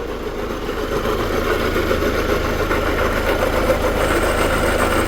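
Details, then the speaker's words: Hyundai Santa Fe CM idling with loud steady grinding noise from start-up; timing belt over 80,000 km since last change; grinding usually from worn pulley bearings on drive belt (A/C, idlers, power steering, alternator, tensioner). "갈리는 소리 는 대개 회전 하는 풀리 베어링 의 마모로 인 해 발생 합니다 . 이런 경우 에는 구동 벨트 를 살펴보세요 ."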